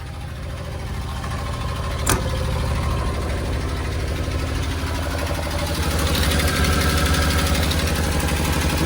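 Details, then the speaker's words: Suzuki Carry dump kei truck, diff lock, four-wheel drive, possibly about 20,000 km, previously wouldn't start: lumpy uneven idle about four beats a second with unsteady swells, sounds about to die; owner suspects exhaust leak or old gas. "This one's questionable, though, so I'm not going to move it. Dump works. Definitely sounds like it's about to [Music] die."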